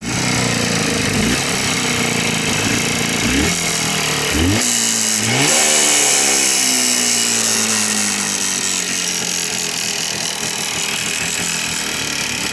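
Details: Jawa 350 two-stroke motorcycle engine revving up and down: a sharp, fairly regular knock rides over the exhaust crackle. The cause of the engine knock is unknown.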